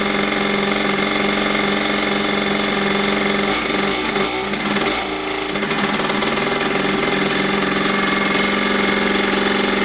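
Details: Mini dirt bike found in a skip, after cleaning, priming and idle screw adjustment: small two-stroke buzzing at steady high idle, even and crisp with no misfire; running cleanly.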